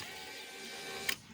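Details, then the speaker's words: Infiniti G35 power window motor, separated from the regulator and run unloaded: short steady high whir ending in a sharp click. It works, but its internal limit switch for the anti-clip mechanism is suspected of skipping on the regulator gears. "i reconnected the motor just to show you see if we put it on and we test the motor it works"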